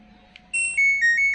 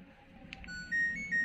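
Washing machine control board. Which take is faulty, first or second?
second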